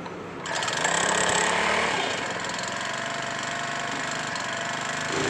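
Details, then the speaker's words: Small petrol-only steam sprayer engine that was hard to start, sounded rough and died when throttled. After repair and a 100 ml oil fill it runs at a steady, even, fast beat with no knocking and holds speed smoothly. Normal running. "oke mesin sudah bagus ya top sangat top sekali ya sudah normal topnya sudah pas"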